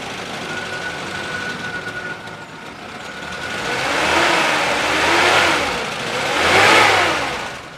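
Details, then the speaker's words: 1996 Suzuki Carry Carreta 1.0 Adiputro minibus, pre-purchase check: petrol engine idles smoothly then revs up and down in clean swells, no metallic knock, fan belt not squealing, power pulling evenly; healthy running, no white exhaust smoke. "Kalau kita geber juga suaranya masih aman, nggak ada suara ciri-ciri metal."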